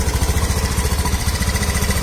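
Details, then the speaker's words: Automatic scooter, about 2014, engine running during a light-service check: fast even chatter of about ten beats a second over the engine, heard clearly as a loose part; to be prioritized. "ini bisa vilifying seperti suara pasti kendor kedengaran sekali nah itu jadi prioritas"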